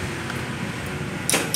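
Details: Honda Vario 110 starter clicking "tek tek tek": two sharp metallic clicks over a low hum, engine barely turns over; mechanic blames a weak CDI rather than the battery, fixed by rewiring without replacing parts.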